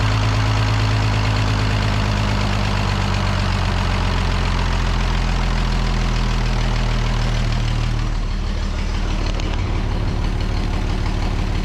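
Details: The Rockabilly Rat, an old truck engine, holds a deep, steady, low-pitched idle with an even beat after spark and timing work, running on its own without misses or stumbles.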